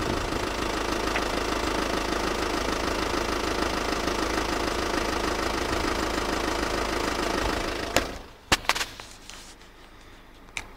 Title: Passat knocking noise